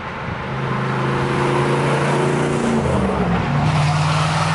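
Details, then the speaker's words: 1986 Camaro IROC-Z with 350 engine (apparently from a 1974 Chevrolet), warm while cruising: faint steady tone near 150–200 Hz drifting with road speed over tyre and engine noise, likely audible on deceleration; mild rear differential whine. "The rear end sounds good other than the normal 10-volt howl after it gets warm. It's starting to make a little bit of noise. It's not bad though."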